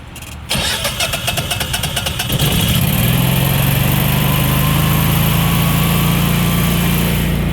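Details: Generac standby generator after a control panel replacement (new WiFi panel) and reassembly, set to manual: quick cranking for about two seconds, then it catches and settles into a steady, even drone with no knocks or surging; starts and runs normally.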